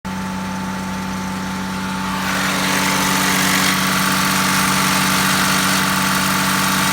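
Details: Q7 272hp diesel idling with a steady hum and whine, plus a rough hissing rasp that swells after a couple of seconds: abnormal engine noise at idle.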